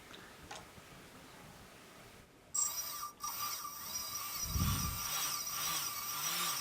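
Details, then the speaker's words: Bench test of a T-Motor 2206 2000KV quadcopter motor with DAL 6040 prop on a UBAD 20A ESC with active braking, UBAD Inversion DX 250 frame: thin high whine rising and wavering with throttle, stopping and starting quickly, no rattles. Normal motor running. "you'll notice here that the actual motor can stop and start by quickly this because active breaking he has been enabled on the speed controller"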